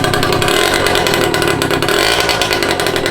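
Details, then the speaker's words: Scooter with a newly welded homemade exhaust and no muffler: raw, crackling two-stroke blare at steady high revs, harsh and deafening enough to make ears ring; loud exhaust with no muffler. "Sounds fucking sick. My ears are ringing from that. Yeah, that fucking hurt more than the angle grinder."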